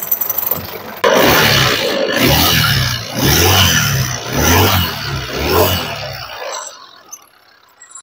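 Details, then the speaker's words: Honda Vario scooter after service elsewhere, idling: rough grinding rasp from the CVT area swelling and dipping; found to be the kick-starter gear dragging; cover then removed. "setelah kita titik kita Amati dan kita coba semua ternyata didapati bahwa kesimpulannya bahwa gigi dari Starter ini natap"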